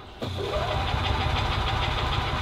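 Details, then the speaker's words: 1985 Club Car DS gas golf cart, battery charged a few hours: engine catches, runs rough and uneven a couple of seconds, then dies and won't restart; carburetor suspected, not confirmed, to be cleaned. Starts briefly then stalls. "this one here we have a crank no start or a barely start situation it wants to kind of like start and then it dies out and then it just won't do it again until I"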